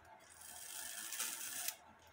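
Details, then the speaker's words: Circa-1880 Alexander Fleig cuckoo clock that had been stopping at warning, with the movement out and a newly made, soldered wire fitted: a crisp ratcheting click and light clatter as the warning-wheel pin trips the lever into the cam. It works properly. "it works perfect the pin on the third wheel warning wheel hits the Leever that falls into the second wheel cam where it's supposed to"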